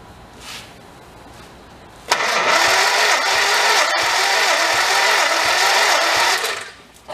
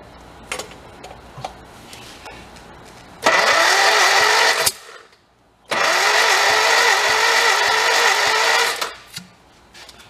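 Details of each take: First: 1955 Morris Oxford parked 33 years, compression test while cranking (cylinders reading about 70, 50, 70–75 and 30 PSI): slow, even cranking about four pulses a second with steady resistance; normal cranking, this cylinder holding good compression. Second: 1955 Morris Oxford parked for 33 years, cranked with the throttle closed. Two long bursts of steady starter whine with no catch or firing; the engine cranks but won't start.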